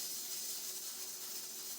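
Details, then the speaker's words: Stove-top pressure cooker cooking pinto beans, heat turned down after the chatter: steady soft steam hiss with the weight rocking gently and evenly; normal pressure regulator rocking, correct pressure, time to start the timer. "and you can hear the steam it's just a gentle rocking motion and this is the general rocking motion you want every time you cook something in you know anytime you cook something in the pressure cooker it's the same gentle rocking motion every time"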